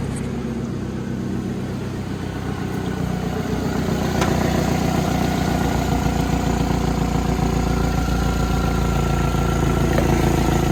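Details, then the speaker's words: Likely a 2018 Chevrolet Malibu idling on a cold day (20s °F). A rough, puffing roar comes from an exhaust leak at the manifold/catalytic converter assembly. "all right I got that heat shield off of this manifold slash converter assembly and it's definitely right there somewhere I can hear it"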